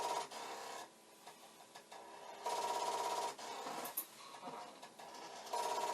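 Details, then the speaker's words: Commodore 1541 disk drive running a looping command: repeated buzzing bursts of rapid head knocking (head banging) against its stop; the drive never settles or starts reading. "i don't want no part of this because it's very constant and but the head banging sounds good"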